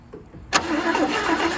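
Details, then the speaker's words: Abandoned 1977 Chevy Camaro on a booster pack: the starter engages and cranks steadily for about a second with no catch, and a little smoke appears. Owners suspect the carburetor is shot. "Oh, hold on, we got a little smoke. I think that carb is just. I think that carb shot, but hit it again."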